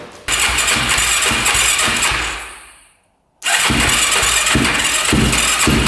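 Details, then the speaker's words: 2006 Yamaha YFZ450 single-cylinder quad with white coolant-smelling smoke: fires up rough, fades, catches again unsteadily, won't idle; top-end ticking owner thinks is just valves, backfires without choke, seems lean. "thank you not wanting to idle I can tell you that there is also a ticking in the top end I think it's just valves though"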